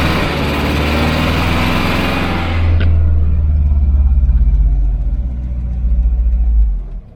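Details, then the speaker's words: 1988 Volvo 740 GL, 2.3 B230F petrol, on its first yard drive after 10 years: the engine pulls, then drops to a lumpy, stumbling chug and dies; misfire, owner thinks it picked up debris from the fuel and is running on two cylinders. "hmm she's probably picked up some hasn't she from the from the fuel misfired and then died you can't stay here girl"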